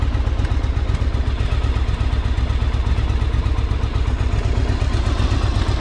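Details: 1984 Yamaha Virago 1000 V-twin running after carb flooding fix and refitting cleaned fuel tanks, no fuel leaks; steady even low thump about four beats a second, no clatter or misses; sounds good, owner notes a little backfire.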